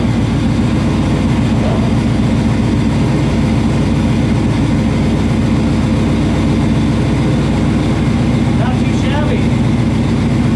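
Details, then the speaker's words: 1965 Chevy II Nova wagon with 700R4 automatic: steady, deep, even idle burble with no knocks or misses, boomy from exhaust dumping under the car; healthy idle. "But I mean, hey, right now it sounds good. I like it."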